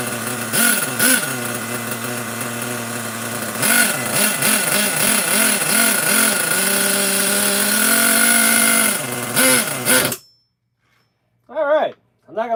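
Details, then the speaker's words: Small nitro RC engine on a newly bought truck, carburetor recently freed up: buzzing high and rising in surges, then holding a fairly fast idle; idle set a touch high, carb needs running in. "But yeah, idle could be a little bit lower. Other than that, I don't think it sounds too bad."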